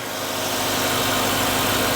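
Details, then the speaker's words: 2016 Kia Optima Hybrid with a replacement engine after the original threw a rod and caught fire, started in ready mode: steady, even hum with no knocks or misses, a smooth settled idle. "Okay, let me put this in ready mode and see if it starts. There it goes. She's running"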